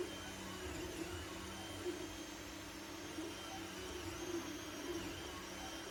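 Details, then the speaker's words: Anycubic Mega S 3D printer printing after hotend, mainboard and power supply fans were replaced with quieter ones; part cooling fan still stock: steady low hum, soft stepper whine, light fan hiss, normal printing. "as you can tell, the only thing you can really hear are the steppers and the stepper drivers. The fans themselves, you can't hear them at all."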